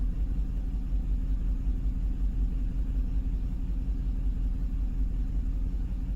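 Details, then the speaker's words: 2005 Cadillac Escalade 6.0 LQ9 V8, parked five years, P0300 random misfire, after new plugs, wires and coil swaps: lumpy uneven idle with stumbles, scanner showing misfires on cylinders 2 and 4; engine misfire, later put down to injectors, replaced with a matching injector set. "now did I not do two misfire oh two there it is yes we still have two now we have four"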